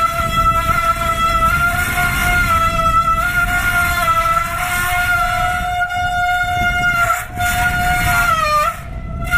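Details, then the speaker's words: Bicycle disc brake held under light, rising pressure to heat the rotor: loud steady squeal near 650 Hz wavers, changes pitch and fades as the brake gets hot. "hear the squealing actually starting to go away now. Getting quieter."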